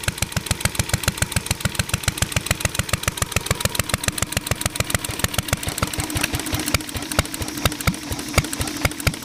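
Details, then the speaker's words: Ideal Model V upright throttle-fed stationary engine, pull-started; carb very sensitive to weather and mixture. Steady, even firing about two beats a second, no misses or knocks; running normally. "so this motor is a little finicky um when you get it all the settings right and the temp temper is just right and the humidity is just right it actually runs pretty good"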